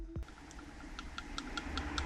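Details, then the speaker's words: Traxxas UDR RC truck during drivetrain overhaul, gear mesh set manually: faint, light uneven ticks as the gears rock through slight intended play to avoid seizing when hot; normal backlash. "And then the meshing here comes like you want a tiny bit of play."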